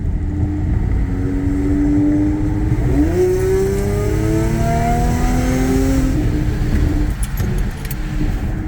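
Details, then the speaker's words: Audi A6 3.0T after Gibson 55106S anti-rasp muffler install: revs up smoothly and settles back with a deep, even throaty drone and no raspy edge; exhaust rasp cured. "it has more of a deep throaty sound now yeah so it looks like it took care of the rice I can hear that already"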